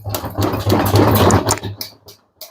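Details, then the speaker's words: Bosch/Siemens/Profilo-type washing machine: pressing the idle drum down by hand gives rapid "lak lak" clattering knocks and loose wobble, showing worn drum shock absorbers. "Lak lak lak lak. Ses geliyor."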